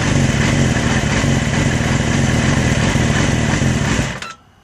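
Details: 2006 Yamaha R6: high-pitched buzzy idle with an uneven, wavering pulse about four times a second before shutting off. Rough idle, cause unclear.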